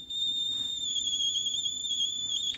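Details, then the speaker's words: Watkins Johnson 8711A receiver, first power-up after years unused, BITE error: steady high-pitched whistling howl, constant pitch then cutting off, present in every detection mode (AM, SSB, FM, CW); cause not yet found. "I change the detection mode AM SS am these all have this terrible sound"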